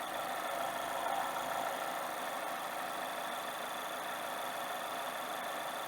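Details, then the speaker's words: ND Mazda MX-5 Miata idling just after throttle body cleaning, briefly slow to start from residual cleaner: steady even smooth idle, no knocks, misses or hunting; sounds healthy. "But it sounds good to me. Let me rev it up a minute just so you can see that it works."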